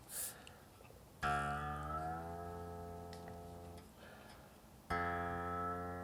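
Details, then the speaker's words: 1953 Les Paul being restored, after fixing a loose bridge saddle that had buzzed against the string: plucked string rings with a clear, steady, pure tone and even decay, with no bridge rattle. "so you get a a more pure note"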